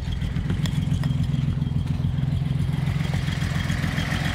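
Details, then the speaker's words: Datsun 240Z project car on choke: uneven, lumpy idle loping three or four times a second, stumbling like a misfire. Owner suspects weak ignition and rules out a head gasket, with compression 170–185 psi on all six. Rough running. "yeah she runs real rough um due to weak ignition I know it's not a bad head gasket"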